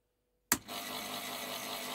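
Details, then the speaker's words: Old Plank Norris 8 Super 50 projector after rewiring, switched on: a click, then a steady light whir at constant speed as the drive motor runs normally; owner first guesses the bulb is gone, then smoke appears. "right the motor's going as you can hear i'm guessing the bulb's gone"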